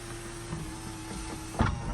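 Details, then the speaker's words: 2007 Toyota Avalon XLS, one owner, 167,000 miles, power sunroof tilting and closing. A smooth, even electric motor whir ends with a soft thunk as the panel seats. Runs exactly as it should; normal sunroof operation. "That's as perfect as perfect gets. Tilt up. Bring back down. Sounds and runs exactly like it should."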